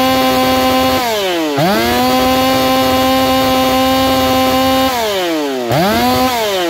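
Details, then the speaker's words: Saw Fest 4910 50cc race chainsaw, carb leaned after running rich, out-of-box chain: clean screaming revs climbing hard and falling back between blips, holding a high steady pitch; freely revving, well tuned. "but uh she sure sounds like she's going up there so let's tack it and see where she's at and I'll do a few test cuts"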